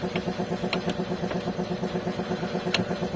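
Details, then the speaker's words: Sharp clicks over a pulsing road and engine drone when braking and downshifting, and also on acceleration. Something had come loose around the engine mount area, and the fasteners are to be tightened and the mount checked. "dá uma freada, uma reduzida em situação de frenagem, ó, é exatamente o estralo que escuta lá."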